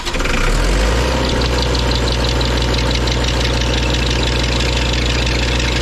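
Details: Auction-bought diesel welder that fell from a crane, after shimming the generator head's rear mounts to stop a racket: steady drone with an even low beat and no rattle or banging; runs smooth and healthy, repair worked.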